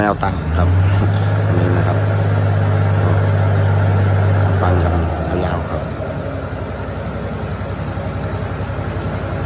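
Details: TF08 with an H07D diesel, racing valve springs, turbo and a newly fitted pump, 15 psi mentioned, after bleeding the fuel system. It pulls up to a strong steady drone and settles back to an even idle with no hunting: healthy.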